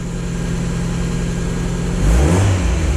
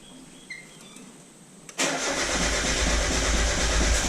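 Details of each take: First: 1996 Miata running on its stock ECU before an aftermarket ECU swap, sitting idle 10–12 days: steady, even idle with a clean throttle blip about two seconds in, pulling up smoothly; normal revving. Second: 1996 Mazda Miata on a SpeedyEFI plug-and-play aftermarket ECU with base tune: starter spins at an even cranking beat but never fires; crank no start, owner suspects the base tune's wrong engine displacement setting (350 instead of 1800 cc).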